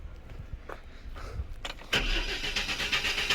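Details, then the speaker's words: Chevy S10 4.3L V6 crank no start: starter churns unevenly and won't catch even with starter fluid sprayed into the intake, ruling out fuel and pointing to ignition. "Does it start? No. And normally it should start right away when you do that."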